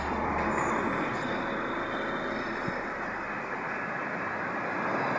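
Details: 2013 Mercedes C180 1.6 turbo petrol, 91,000 km, idling smoothly and evenly after belt replacement, with no squeal, chirp or rattle from the belt.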